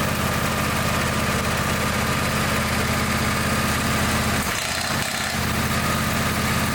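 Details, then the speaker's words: Engine with a broken-off spark plug idling with a sharp, regular knock of about 160 a minute. A loose spark plug piece is stuck in the cylinder. "that don't sound good that's pieces of spark plug I guarantee there's piece of spark plug in there and it's like a kidney stone and it won't pass through and it's making that horrible racket"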